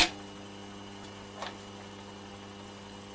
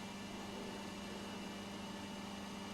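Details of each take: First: Vintage Petro Scott reel-to-reel tape recorder, AC bias 2-track mono, playing: quiet steady low hum with buzzy overtones under tape hiss, constant; failed filter capacitor letting mains ripple through, fixed by replacing it. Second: Vintage Petro Scott reel-to-reel tape recorder, 2-track mono, after filter capacitor replacement: quiet even hiss with only a faint steady tone, no buzz or mains hum; running clean, the hum is fixed.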